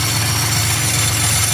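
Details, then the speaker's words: 2002 Chevy Malibu 3100 SFI at steady idle, running again after replacing an oil-soaked crank sensor that caused intermittent shutdowns; fine busy chatter heard, owner suspects a bad bearing, source unconfirmed. "now i am hearing i am hearing a little bit of chatter over here that's telling me i'm i think i've got a bad bearing"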